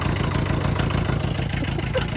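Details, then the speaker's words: MK1 VW Rabbit with swapped 07K 2.5L five-cylinder engine catches and settles into a smooth, even idle with steady low pulse, no knocks or misses; normal idle. "Purs like a kitten."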